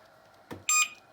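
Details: ONVO OV-012 electric scooter after a motor replacement following an accident: a soft click, then one short high-pitched beep at switch-on with no fault beeps; the scooter powers up normally.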